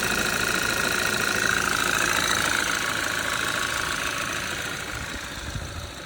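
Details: 2013 Audi 2.0 TFSI gen2, Revo Stage 1, 150,000 km, cold start, engine cover removed; cold idle with sharp even knock about three per second over engine note; owner suspects piston pin but unsure, source unconfirmed.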